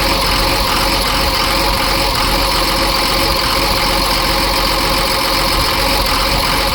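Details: Cummins diesel in Ford F750 truck, first start after sitting years, after empty fuel filter filled: steady idle clatter under some hiss, no clear miss left; normal idle.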